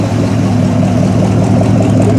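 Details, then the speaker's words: Ford 302 V8, fresh, dyno'd about 258 hp and 308 ft-lbs, swapped into a '64 Ford stepside, heard at the tailpipe: strong even burble, no ticks or misses; temperature 160, oil pressure 50 lb, fully charging, sounds good. "Temperature sits at 160. Oil pressure 50 lb volts fully charging. Sounds good when you sure you can hear that or not, but sounds pretty good."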